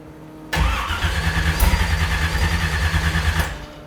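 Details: 375 hp Mazda RX-7 back from storage: about three seconds of steady, even cranking at roughly three beats a second that never catches; cranks but won't start.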